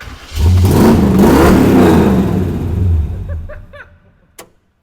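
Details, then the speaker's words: Restored Jeep CJ7 after rewiring, seat sensor satisfied by sitting in the seat: engine catches and revs smoothly with a deep, throaty roar, then settles and shuts off; strong, even running, no misfire. "that boy sound good bro she sound good she throaty dude"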